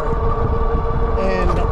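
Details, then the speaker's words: Wallke H9 AWD 48V e-bike riding at about 27 mph on pedal assist 5: a steady motor whine over a rough, uneven rumble, chatter that occurs between 26 and 31 mph in all-wheel drive; cause unknown and unexplained by the maker. "about the chatter, like you hear it right now, about 27 mile an hour. Between 26 and 31, in all-wheel drive, you get"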